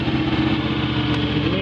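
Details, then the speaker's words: Kohler 20HP V-Twin engine on a scrap-yard Miller Legend 302 welder/generator, after replacing bad capacitor C41 on PC1, fires right up and runs steady and even with a smooth low hum, no knocks or misses; voltage 12.9, normal running. "Um fires right up. Apparently voltage is normal."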